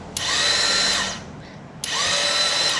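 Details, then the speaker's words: Royal Enfield Classic 350 not starting: two bursts of high free-running starter whir with no engine turnover; battery and power reach the starter but it cannot turn the worn sprag (one-way starter) clutch, fixed by sprag clutch replacement. "But it is not giving power to the starter clutch. So when this happens that means there is battery there is power power is coming to the starter but the starter is not able to rotate the sprite clutch or the starter clutch."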